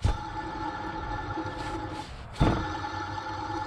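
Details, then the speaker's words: 2003 Ford F-150 4.6L at idle with the belt off the alternator: a steady whirring tone from a worn idler pulley bearing; noise gone after replacing the idler pulley. "it's making some noise bearing it's wearing out"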